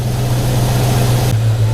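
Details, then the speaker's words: 1991 Ford Foxbody Mustang 5.0 LX V8, after winter storage since October and a battery swap, started in the 30s °F and warming up; deep, steady idle with even low exhaust burble, no miss or lope, normal smooth idle. "man that 5.0 listen to that thing"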